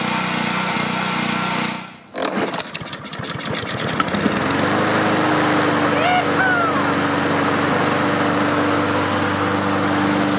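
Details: Honda engine on a self-propelled Husqvarna mower, after the no-start was traced to a no-spark electrical fault and repaired: it cranks, catches after a couple of seconds, then settles into a steady, even single-cylinder drone with no misses. Running normally.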